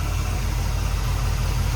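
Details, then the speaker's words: 1974 Ford F100 Ranger XLT 460 V8 with four-barrel carburetor, hood open in the engine bay; deep, even V8 burble with no misses or knocks, smooth-running; normal idle. "you can hear how smooth that runs and also see how smooth that runs good sounding engine"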